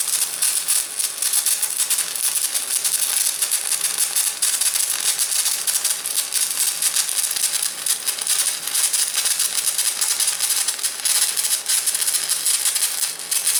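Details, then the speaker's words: VEVOR MMA 200 DC stick welder; steady crackling frying hiss with irregular sharp pops, a spitting arc with stinger on negative polarity; smoother with stinger on positive. "Okay, that was the polarity that makes that spitting sound. That's with the stinger on the negative."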